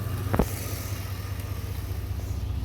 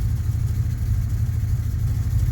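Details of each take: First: 1991 Chevy Silverado (Gen One OBD) now idling with a steady, even low rumble and no stumbling, after the MAP sensor ground wire was temporarily jumpered to ground; problem appears solved. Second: 1991 Chevy Silverado V8 that struggles to start cold and gets no fuel until the accelerator is pressed; started with a little gas, it idles very rough with uneven lumpy pulses, then throws a code once it smooths out. Cause unknown.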